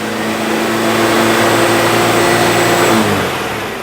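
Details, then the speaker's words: Citroen petrol engine held at raised revs after an exhaust was cleaned, pasted and refitted: a light, uneven rattle or scrape from the back of the engine, easing as revs drop; owner suspects the new alternator's bearing. "I don't know if that's the alternator bearing going into meltdown or something else. No timing chains, timing belts on this engine. It sounds like it's coming from the back of the engine."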